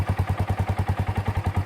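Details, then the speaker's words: Kawasaki Bayou single-cylinder ATV after replacing its rotten muffler with a used Kawasaki 300 muffler mounted in the stock location: even, steady thumping at about seven pulses a second with no rattle or blowing, so it runs healthy. "I got kind of a mess going good Hildy lets it breathe really good nice mounted in the stock location kind of"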